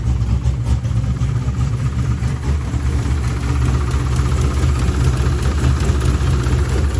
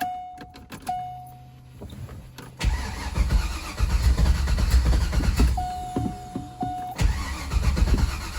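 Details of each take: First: C5 Corvette V8 after block weld repair where starter broke the block and engine reinstall: deep even rumble at steady idle, no misses, knocks or surging; runs smoothly. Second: C5 Corvette after engine reinstall, not started in a long time, battery very low: a few clicks then slow, uneven, labored cranking with a grinding edge, never catching; starter suspected breaking again, leaky injector also suspected.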